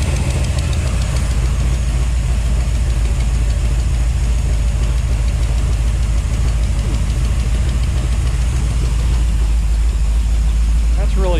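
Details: 1955 Chevy V8 with headers at idle, with fast light clacking about three times a second low on the block. Owner ruled out the rocker arms and suspects the used fuel pump pushrod he installed.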